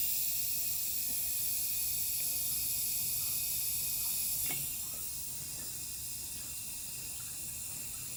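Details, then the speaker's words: Willys CJ2A, probably 1946–49, with low compression, leak-down test on cylinder 1 at TDC after ATF was poured in: steady high-pitched hiss as air escapes out the exhaust and intake. The engine is leaking past both valves and the piston rings. "I can hear the ATF I dumped down the soldiers leaking in the exhaust yeah there's a lot coming out here we've got a view both valves and piston rings"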